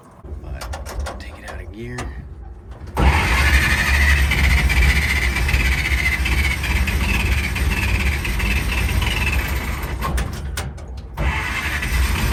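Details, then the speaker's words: 1940 Dodge VFA32 winch truck, 85 years old, first start: about three seconds of cranking, then it catches and runs roughly, sagging and nearly dying near ten seconds; fuel starvation. "I got it to move. I think she's very thirsty."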